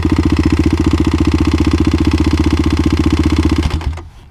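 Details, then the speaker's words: Kawasaki KLX351 single-cylinder after hard riding on snow and ice: a steady heavy knock about 220 per minute at idle until shutdown; owner thinks not bottom end, suspects a failed cam chain tensioner. "I really can't tell what that is. It doesn't sound like it's bottom end. If it's top end, that means our cam chain tensioner could have failed, which is bad, maybe good, because that's a stock part."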